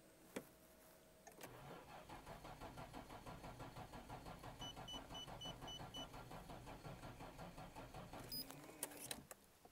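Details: Nissan GT-R starter dragging slowly at about three strokes a second for several seconds, engine never catching, dash lights dead; flat battery despite brief charging, no start.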